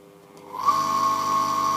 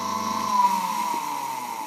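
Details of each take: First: Submersible dirty-water drain pump ZCPW400 with faulty start capacitor: low stalled hum without turning, then a steady high whine once the impeller is nudged by finger; fixed by replacing the capacitor. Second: ZCPW400 submersible drainage pump that hummed without pumping and only started with a push, after its capacitor was replaced: a steady, even motor hum with a clear whine and no grinding or stalling. The pump starts and runs normally.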